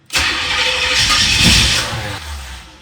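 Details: 1986 Corvette C4, rebuilt L98 TPI engine, about 132,000 miles, after heat soak: starter spins steadily about two seconds without catching, then winds down; cranks but won't fire. Cause unconfirmed.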